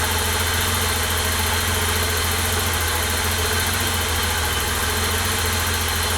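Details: 1988 BMW E32 735iL, freshly rebuilt M30 B35 inline-six, first start: steady even idle with smooth low drone, no ticking, knocking or stumbling; healthy, car later reported running great.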